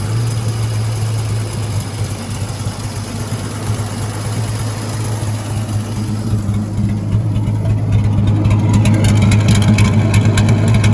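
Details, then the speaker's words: 1956 Dodge C3-H6 1.5-ton truck, first start in 20+ years, fed gas into the carburetor bowl, solenoid jumped because the key won't signal it: old six idles low and even, smooth beat, no knocks or misses; sounds pretty good. "But man, that worked better than I thought it would. Not bad. Turn this off. She doesn't sound too terrible either. Sounds pretty good."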